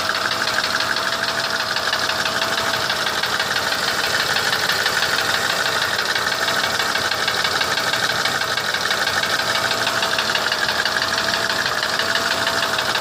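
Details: Mercedes W163 ML320 at steady idle: fast, light knocking about three times a second over the engine, which started knocking after an oil change; source not yet traced.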